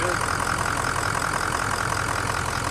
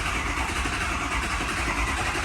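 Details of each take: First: 2003 6.0 Powerstroke diesel after fuel injector job, first start in cold weather, little smoke: steady, even idle clatter warming up with no knocks, misses or surging; sounds good, normal idle. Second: 6.0 Powerstroke cranking after a fuel injector job: steady, labored, lumpy turnover as WD-40, fuel and oil left in the cylinders are pushed out, giving a little smoke; ICP reads 0.2 volts.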